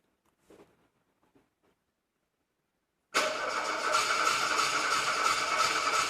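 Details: VW Golf 2 won't start: after a quiet pause the starter churns steadily, about three beats a second, and the engine never catches; cranks without firing.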